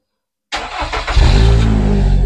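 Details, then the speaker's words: Nissan X-Trail T30 cold start after sitting overnight: the engine catches after a short crank and settles into a rough, heavy idle, with a puff of white exhaust smoke that disappears once warm; weak compression suspected. "Nah itu ya teman-teman, asap putih seperti itu tadi ya. Begitu dia starter keluar jebul, lalu dia hilang. Nah jadi kalau sudah panas mesinnya asapnya hilang, tapi pada saat starter awal mesin dingin itu keluar asap putih seperti itu."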